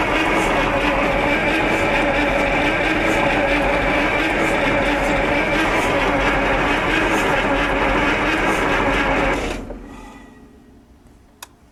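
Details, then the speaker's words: Onan 140 WE 884 cubic inch V8 generator engine, first test run, with oil pressure rising toward 20 psi and fuel smelled. It cranks steadily at about three turns a second with no fire. Suspected battery voltage dropping too low for good spark; timing possibly set early. Cranks but won't start. "I don't know if we're just not spinning her over fast enough for what maybe the battery voltage is dropping too low to get a good spark out of it"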